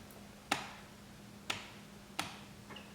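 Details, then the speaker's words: 1966 Triumph Spitfire MK2: a newly wired cooling fan relay clicks sharply three times about a second apart over a faint hum when the ignition is turned on, showing the relay switches properly. "hear the relay clicking okay so that's it"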